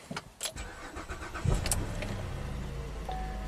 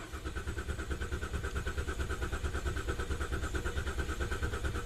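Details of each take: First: GM 3.6L V6 with suspected stretched timing chains, 11 codes including bank 2 lean, runs poorly when warm: starter whirs, engine catches and settles to a smooth idle, quiet with no timing-chain rattle at start-up. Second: GM 3.6L V6 that runs poorly warm and sets timing, lean and rich codes, with stretched timing chains suspected. Cranking compression test, pedal floored, ignition apparently disabled: steady cranking with every other pulse lower, showing uneven compression. Cause not yet found.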